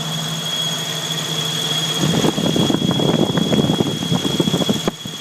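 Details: Jeep YJ 4.0L engine running: steady high squeal over the idle with uneven chatter underneath; squeal of unknown cause.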